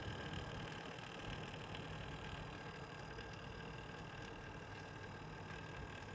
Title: Corsair H100i extreme rattling noise from pump.